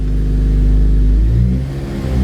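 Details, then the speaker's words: 2008 Honda Civic Si with new 70A rear motor mount, first startup and light rev: heavy low drone, a lot more vibration heard and felt through the body from the stiff mount. "vibrates just give a little rev yep yeah that's a lot of vibration yeah you really do hear it or feel it actually"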